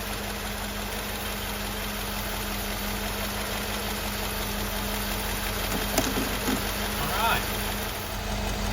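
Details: Mercedes W126/W124/W201 after the AMF flap potentiometer replacement, with the covers refitted: steady, even idle hum with no hunting or surging, a few handling knocks near the end; normal idle.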